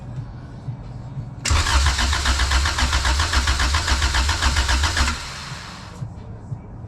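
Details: JDM Honda EF2 with B18C Type R swap, converted from dual carbs to EFI on an OBD1 harness, first start: brief rhythmic cranking, then catches with an even pulse and settles to a steady run; a clean start.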